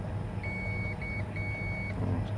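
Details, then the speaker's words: Getra meat slicer, dead with no power: while checking the power cord before rejoining a broken wire, the tester gives clear high continuity beeps over a faint hum; this cord wire is intact. "sebelum menyambung kita pastikan lagi bahwa kabel ini tidak ada putus di dalamnya Mari kita tes [Musik] yang ini masih nyambung ya"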